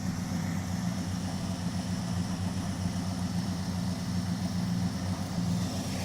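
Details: Dodge Charger with Chrysler 5.2 L V8, Seafoam just poured into crankcase, idling after a brief tick at startup: even steady burble, no ticking, stumbling or hunting; runs good.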